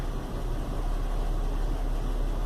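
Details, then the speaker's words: Chevy Venture warm idle after about 4–5 minutes on a cool day, no check engine light: deep uneven rumble, not smooth, no knocking; cause turned out to be a failed hydraulic engine mount. "you can probably hear it's got a kind of a rumble to it it's definitely not running too smooth"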